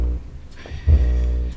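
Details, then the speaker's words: 19-year-old Sunfire MK4 subwoofer amplifier: not very loud when switched on, but a deep buzzy droning hum swells loudly when the input RCA cable is touched; input or grounding fault, no obvious damaged component found on first inspection. "okay so let's try it again I'm gonna turn it off and turn it back on so it does not very loud but if I touch the input cable"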